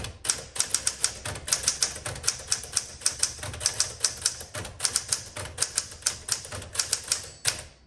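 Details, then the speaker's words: 1961 Smith Corona Sterling 5A series manual typewriter: quick, crisp key strikes in an even, steady patter with clean snaps. The carriage return is noted as a little noisy, but the typing action is fantastic. Normal typing action. "Okay, but the typing action is fantastic."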